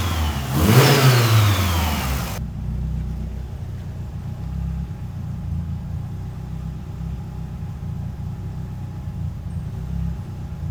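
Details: Mitsubishi Evo after a new downpipe was built so the downpipe and wastegate flanges both seal: a strong rev settling into a steady, even idle with no puffing or ticking. No exhaust leaks.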